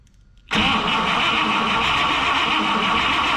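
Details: 1960 Buick LeSabre with replacement factory 364ci Nailhead V8, rebuilt carburetor, fed from a temporary funnel fuel tank, first start attempt: starter churns about three beats a second with no firing or pickup; cranks but won't catch.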